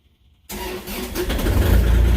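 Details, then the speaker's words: Tractor catches instantly after brief cranking and settles into an even, steady idle with no misses or knocks; it is "purring like a kitten at a milk pail". "Nope. Pulled right off. Purring like a kitten at a milk pail."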